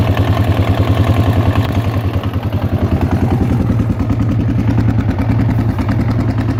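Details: Yamaha XT/TT 600 E single-cylinder idling: thumping with a loose, uneven clatter on each firing pulse, about three beats a second; abnormal engine clatter whose source is unknown.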